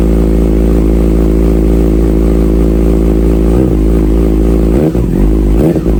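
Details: Salvage-rebuilt Kawasaki Ninja ZX6R, first start after new fuel filter and refitted fuel pump: smooth even multi-cylinder idle with quick throttle blips, clean response, no knocks or misses.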